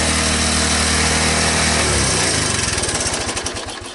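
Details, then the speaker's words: 1983 Honda ATC185S three-wheeler single-cylinder engine after the first start following sitting: runs even and crisp, then slows to steady separate beats at low idle; no smoke, no bottom-end knock, valves sound good, normal running. "all right well i'm not seeing any smoke no bad sound from the motor when you idle and down that low"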